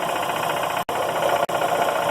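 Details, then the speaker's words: Emglo K15A-8P air compressor in constant-run mode, pilot valve has pressurized the head: even, steady mechanical hum with light rapid chatter and no knocking; normal unloaded idle. "okay as you can see the air compressor [Applause] pilot valve pressurized the head on the air compressor and it is now in an idle mode"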